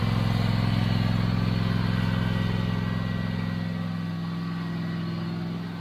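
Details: Toro TimeCutter 5060 zero-turn mower idling right after an oil change with fresh oil topped up: steady, even low thrum with a regular firing beat, no knocks or misses; running smoothly and healthy.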